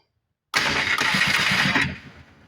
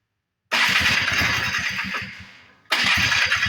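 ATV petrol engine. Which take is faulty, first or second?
second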